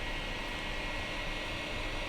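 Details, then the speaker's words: 2008 iMac in a cool 68.9°F room, just woken from sleep with only one Safari window open: a constant loud rushing hiss with a faint tone from the back as the fans run flat out. All the fans were already replaced. "And we'll wait a few seconds for the fan noise to start. The fan noise. Here we go. The fan noise has begun."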